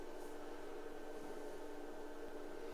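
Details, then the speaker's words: IBM PC/XT Model 5160 booting from the hard drive with the floppy removed: quiet steady whir with faint fast ticking over a soft hum as the hard drive seeks and the floppy is checked; hard drive working normally. "Sounds like the hard drive was doing something. And it's checking the floppy drive."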